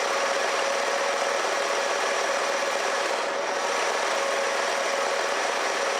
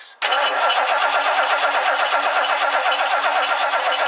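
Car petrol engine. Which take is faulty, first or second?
second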